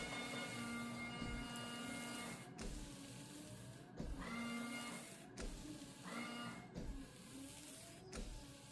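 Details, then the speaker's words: Ford Mondeo ST220, rear wiper and washer checked during MOT prep: wiper motor whirrs back and forth about every 1.5 s while the washer pump hums with no spray. Jets sound blocked and it seems to be leaking, squirting down. "Um, the washer jets sounds blocked and it sounds like it's leaking like squirting down the S"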